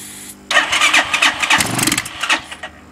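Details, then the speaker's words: Bashan 200cc that won't start: it fires on starting spray, runs rough and uneven for about two seconds, then dies; it won't run on its own fuel. Owner suspects a dirty carburetor. "and can't get this to start we try to on it one and then if we put easy start on it it starts but then cuts"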